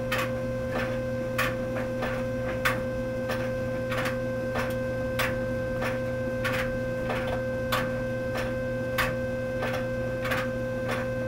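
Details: Dryer hums steadily while a sharp clack repeats with the drum's turning, caused by a coin caught in a plastic drum paddle; fixed by removing the coins.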